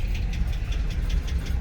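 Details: 2006 GMC Sierra 2500HD, junkyard-bound, barely running: rough V8 idle with a steady low knock under the rumble, about four or five a second; sounds like a bottom-end knock, cause unconfirmed.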